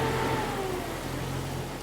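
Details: Jeep Cherokee with bad throttle position sensor: revs hang high then sag slowly and unevenly instead of settling to a steady idle, before TPS replacement.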